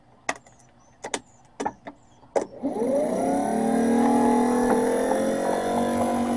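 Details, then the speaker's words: Old starter bench-tested off the vehicle, powered by battery and jumper cables to the solenoid: a few sharp clicks, then a smooth rising whine to steady free spin, but the drive pinion never kicks forward to engage the ring gear. "But what that thing is supposed to do is like a wiring drive. When the power kicks in, that gear right there will kick forward."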